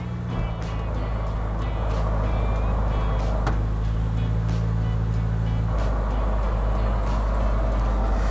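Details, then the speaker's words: Suzuki Samurai at idle with 16B engine, before transmission rebuild: dry, gritty rolling growl from worn manual transmission bearings, nearly gone with clutch pedal in, loud with clutch out, worsening over time; fixed with new bearings, seals and synchros. "so the sound is pretty much not there when the clutch is in but when you let the clutch out you'll really hear these bearings roll in a real kind of a dry bearing sound"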